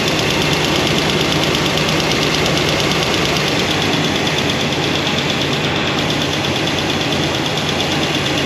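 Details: Idle with valve covers off on a freshly broken-in Comp Cams hydraulic roller cam and lifter combo: light, fast tick. Number 7 exhaust is the noisy one with little oil flow. Readjusting the poly locks doesn't cure the lifter tick; solid rollers planned.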